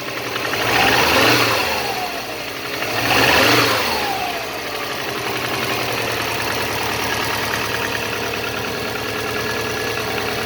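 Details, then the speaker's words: Subaru EJ205 turbo flat-four, over 200,000 km, cold idle at about −15 °C after two quick revs: dull, regular knock under the boxer burble that seems to disappear once warm; compression 13.5–14, boost 0.7, oil not consumed; cause unclear. "В общем так, короче, на холодную стучит, на горячую вроде пропадает тут."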